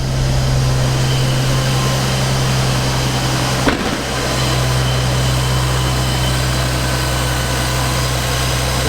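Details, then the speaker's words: Toyota MK4 Supra 2JZ-GTE after DIY coil-on-plug conversion, first start in neutral with tacho working: steady, even low idle hum with no misses or stumbles; really smooth, running cleanly on all six cylinders. "sounds really, really smooth to me. That's running on all 6. Absolutely perfect."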